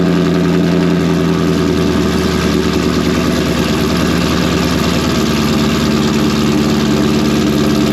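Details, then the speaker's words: Modified V8 in a full bolt-on NA build with a blower-spec camshaft, freshly tuned, in a shop at about 70°F: a deep, loud, steady rumble with a lumpy cam note and smooth high cold idle; running normally. "If anybody has been around like one of the newer Coyotes or newer LT motors, when they're modified or they have aftermarket exhaust on them, these suckers will hit you right in the chest when you first fire them up when they're cold in the morning."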